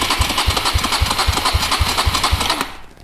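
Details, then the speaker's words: 2006 Suzuki DR200 compression test, cold, throttle wide open, gauge in spark plug hole reading just below 140 PSI (minimum 139): steady cranking, even thumps about four per second, no firing; low compression. "and then we can see yeah it's low compression they're a fast and easy way to diagnose and find a low compression cylinder"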